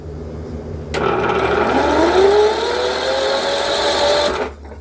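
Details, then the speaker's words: Cub Cadet lawn mower engine cranked with the spark plug removed, battery reading 15 volts: the starter spins the engine freely into a smooth rising whine with no compression pulses, like a jet. "Why'd that turn over like a military jet? Oh, that's funny."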